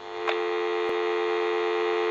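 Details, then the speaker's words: General Electric 6.0 designer cordless telephone after repair, on a direct line-out call: steady mid-pitch electrical hum with a buzzy edge and no dropouts, the dial-tone noise frequency; nothing faulty. "so we'll go ahead and give you some D tone that's that noise frequency"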